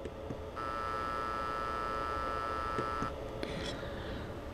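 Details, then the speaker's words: Power transformer of a small TDA2050 stereo amplifier with undersized filter capacitors: buzzing hum rises as the signal loads the supply, holds steady, drops when switched off; transformer humming under heavy current. "so when I load down this Transformer I am getting a nice hum there because the Transformer is delivering heavy current"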